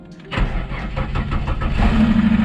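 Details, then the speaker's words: Ford Falcon, a neglected car not started for a while, key cycled to prime the fuel pump: short quiet pause, then it catches at once and settles into a steady, rising idle; clean normal start, slight lifter tick and belt squeak noted. "still hear that lift the tick and that squeak from the belt that's not too bad I'm gonna run for a bit"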